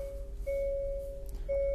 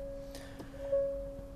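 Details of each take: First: 2023 Hyundai Santa Fe after replacing a failed rear parking sensor: clean mid-pitched beeps about once a second while reversing toward a car; centre and both side sensors triggering normally, no error. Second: 2023 Hyundai Santa Fe in reverse: a steady, unbroken two-note chime sounds instead of proximity beeps, with a parking sensor error or blockage warning; the rear parking sensor has failed, found by listening for the missing sensor ticking with a stethoscope.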